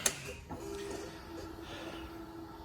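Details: 2019 Suzuki Katana 1000 with an M4 muffler, restrictor baffle removed: after the key-on click, a quiet, steady mid-pitched hum runs about two seconds and then fades. The fuel pump is priming normally before the start.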